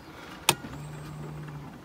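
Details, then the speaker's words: Mercedes CLK55 AMG (M113K) after fuel pump assembly reinstall, ignition on before test fire: single click then even low hum about a second from the in-tank sender, stops; pump priming normally, rail pressure good. "my pump is on that's good all right you can hear it from coming from the sender now"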